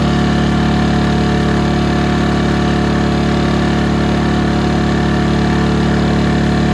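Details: Ryobi RYi2322 inverter generator with 0.1 hours runtime, after clearing a blocked carb jet: steady, even hum with a smooth low drone and no misses or knocks; runs cleanly at constant speed.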